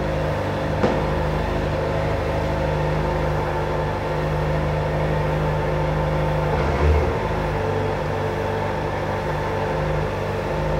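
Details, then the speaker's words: 2025 Kawasaki Ninja ZX-4RR at about 1,000 km odometer, riding with a passenger after its first oil change and chain adjustment. Steady engine drone with no chain rattle; before the adjustment the chain clunked on shifts and clutch release. "Nung na-adjust na, wala nang kalampag. So nung kasi hindi pa na-adjust kanina, maingay talaga yung kadena, kumakalampag-kalampag."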